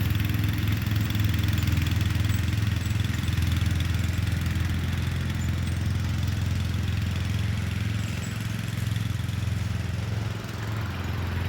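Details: Murray Select 30" riding mower mowing on a slight incline with an unsharpened blade: deep, steady single-cylinder drone sags a little as the cut loads it, then holds; engine pulls fairly well and cuts decently.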